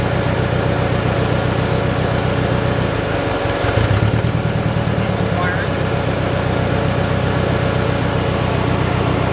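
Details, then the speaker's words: Budget Mercedes-Benz project car idling with no exhaust fitted: uneven loping pulse about four a second with one beat dropping out, running on three cylinders; a visibly damaged coil pack was found as the cause, plug looked fresh. "all right so we're we're on three cylinders let's check it out"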